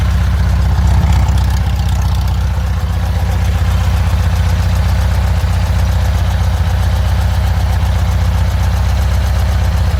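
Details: Engine idling after an exhaust leak fix, checking for remaining leaks: steady low idle with an even rhythmic pulse, no puffing or ticking from the exhaust; normal idle.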